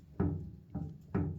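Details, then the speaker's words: Big block Ford Ranger: three dull hollow knocks about half a second apart as the steering column is rocked by hand; the column is loose at its mount although it is bolted on the interior side. "That's not supposed to be loose, which I know there's not a nut right there."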